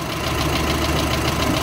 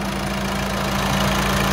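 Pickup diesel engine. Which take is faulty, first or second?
first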